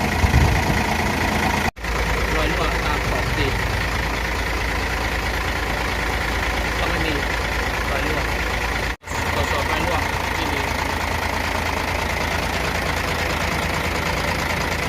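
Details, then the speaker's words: Hino truck with JO8E six-cylinder diesel at 600,000 km, after its first valve adjustment (intake 0.30 mm, exhaust 0.45 mm): idles with a steady, even clatter and no tapping or irregular knock; smooth, quieter normal idle. "ก็ฝาครอบเกียร์เสียงก็เงียบลงนะครับหลังจากที่เราปรับตั้งวาล์วแล้วเครื่องเดินเรียบนะครับ"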